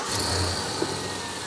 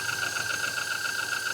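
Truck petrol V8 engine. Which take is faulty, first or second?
second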